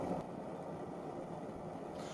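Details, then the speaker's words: Optimus 99 stove burner just opened up after alcohol priming: smooth, even rushing roar that holds steady with no sputter or surging; the burner is running cleanly. "And there it is. Listen to that roar."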